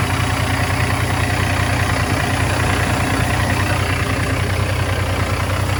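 Steady low diesel rumble with even clatter about three beats a second and no odd knocks or whistles; the truck idles normally.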